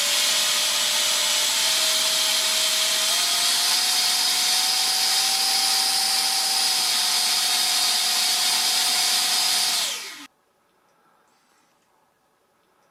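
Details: Shrill steady fan scream climbs a step in pitch, holds at full throttle, then spools down; SU-27 ducted fan thrust test on a 50C pack, both sides about 76 mph airflow, grass clogging suspected for lack of thrust after failed maiden.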